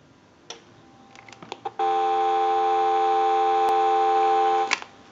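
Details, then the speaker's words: GE 6.0 cordless telephone in final checkout after repair, dial tone supplied by an analyzer: clicks, then a clean steady dial tone for about three seconds with no crackle; normal. RF power can interfere with an amplifier. "now we can go ahead and give you some doubt tone and we'll show you the interference that we're talking about"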